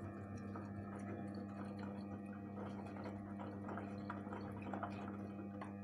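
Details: Gorenje 8 kg inverter washing machine, 1 year old: low steady hum with a ringing tone throughout, faint drips and sloshing; abnormal strange noise, cause unknown.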